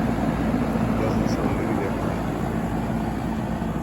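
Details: 1996 Heil AG030GB1 2.5-ton AC condenser, SureStart SS1B16-32N kit replacing a hard start kit, at about 55°F ambient, running about 9.3 amps: a steady, even whoosh and low hum with no knocks, rattles or surges. Normal running.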